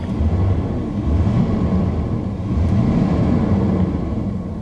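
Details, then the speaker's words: 1984 Chevy C20 Silverado with an Edelbrock carburetor, after fuel system repairs: deep, steady V8 rumble that swells slightly and settles, with no misses or knocks; the engine sounds healthy. "she sounds healthy"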